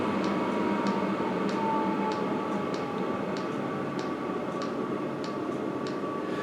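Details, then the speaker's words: Heater burning well on low heat with a very responsive control: steady fan and burner roar with light, very slow ticking from the fuel pump; healthy low-power running. "Like I say, very responsive unit. And you can hear the pump ticking away very, very slow."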